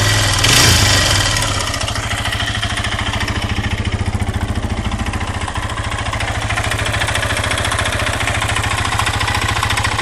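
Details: 2008 LTZ 400 (K8) single-cylinder engine: a hard, regular metallic clack over the exhaust beat, about three to four a second. On teardown the big end had play and the cylinder/piston was scored, with metal torn away on the exhaust side. Rod knock.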